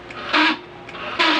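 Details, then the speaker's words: Wave CX 110 motorcycle that won't start on push-start: two short buzzy clicks and no cranking, as the starter relay clicks because the battery is weak. "Pakinggan niyo m mga idol so lumalag na lang yung relay dahil mahina na ang kanyang battery"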